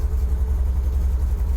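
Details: 1977 MGB, 70,472 miles, engine 18V883AE-L7967, SU HIF4 carburetor, cold and held on light throttle with choke, good oil pressure: deep, even rumble at a slightly raised, steady idle, no knocks or misses; normal cold warm-up.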